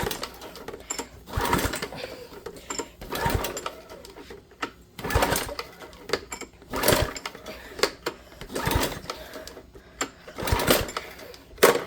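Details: Small engine in spring: repeated recoil pulls spin briefly about every two seconds with no firing; fuel and oil checked, but a rusted carburetor keeps fuel from getting through, so it won't start.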